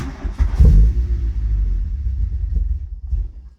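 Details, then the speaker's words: Mk2 Golf with K-Jetronic injection, cold start: engine catches after a few turns, runs rough about three seconds, then dies and won't hold cold idle; owner suspects warm-up regulator, timing and CO recently set; cause unconfirmed. "um and it takes a few turns which I will show you now I just get in so turn it on get ignition on so turn"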